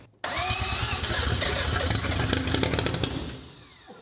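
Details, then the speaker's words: Three-rotor Mazda RX-7 rotary, first start after two years in pieces with a new wiring harness, cold start with fuel pressure added and starting fluid sprayed in: catches and fires raggedly about three seconds then dies; ignition confirmed working. "fire that proves a point ignition is working everything's working but that was necessary for having such a whole new system"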